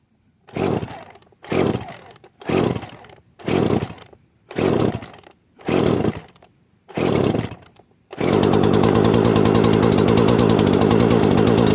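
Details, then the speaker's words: Poulan Pro chainsaw after replacing carburetor, fuel lines, fuel filter and air filter, reportedly not started in years, half choke: seven pull-cord whirrs then fires into steady, even high-pitched idle; starts and runs normally. "let's do this thank you sounds like it wanted to start already in"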